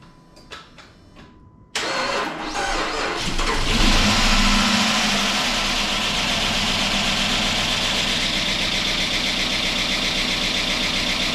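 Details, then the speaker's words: 2005 Chrysler 300C AWD 5.7 HEMI, first start after repairing dropped valve seat, destroyed piston and head, with weak battery and no coolant; fast even ticking about four per second at idle as lifters pump up with oil. "sounds awful but that's just a liquer pumping back up there's no cool in it it so I'm not going to run it too long but it uh it's idling hear all the lifs Bing for oil"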